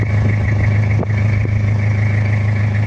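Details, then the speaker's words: Toyota Kijang diesel after repair of cracked engine block near oil passage, warm engine with smoke now clean: steady, even idle with low regular beat, no knocks or ticks, sounds smoother when warm; normal idle. "Oke ini udah selesai suaranya agak adem kalau udah agak panas"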